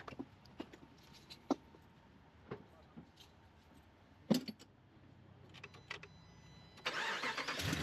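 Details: Vehicle starting after roadside battery, alternator and drive belt replacement. A few scattered clicks in quiet, then the engine catches and picks up to a steady rush; it starts normally.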